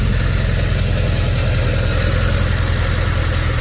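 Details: Honda Civic Si K20 on first start after fitting a TVS 1900 supercharger and ECU reflash: deep, even idle rumble with a steady beat and no knocks or misses; check engine light on, possible misfire suspected, air-fuel ratio 14, no knock.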